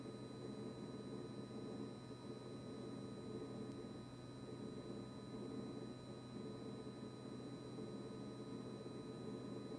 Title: Kitchen-Aid KRFC704FSS00 constant fridge compressor buzzing noise after service by Blue Diamond.